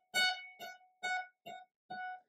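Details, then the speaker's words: Dried-out guitar in winter low humidity: five plucked notes on adjacent frets all ring at the same pitch; caused by the guitar drying out. "You're hearing some buzzing noise, like this, or sometimes you might actually have two notes that play the same pitch."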